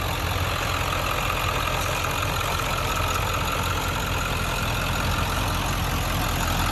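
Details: 1997 Ford F-250 XLT 7.3 Powerstroke diesel, 5-speed manual, 4x4, 69,713 miles, just started: steady even diesel clatter at constant idle, no knocks, misses or surges; healthy, well-kept engine.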